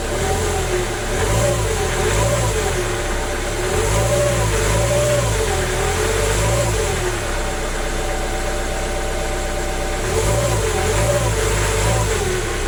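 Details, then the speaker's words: Jaguar X-Type after replacing the crank pulley, the cause of a nasty noise: engine runs steady with a gentle rise and fall in revs, no squeal, knock or rattle; normal running. "yay happy days it was the horrible crank pulley okay I'm happy that's all done and dusted sounds good"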